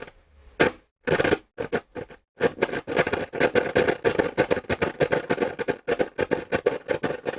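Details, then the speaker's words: Hacker Sovereign RP18 radio during repair: rapid, uneven bursts of scratchy crackle chopping in and out; noisy volume control, possibly with DC on the pot. "know call that PO we might we might have some DC on that pot Jesus this is bad"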